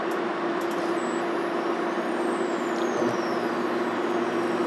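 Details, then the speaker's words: Portable induction cooktop set to power 6 with its fan running: once a compatible pot is placed, a thin steady high-pitched whine over a soft hiss as the coil transfers heat; normal. "you hear that kind of high-pitched whining noise. Let me take that off for a second here, and let me unplug it. So what's happening there is that it's recognizing that there is a compatible pot or pan, and then it's starting to, I guess, transfer the heat energy into the pot"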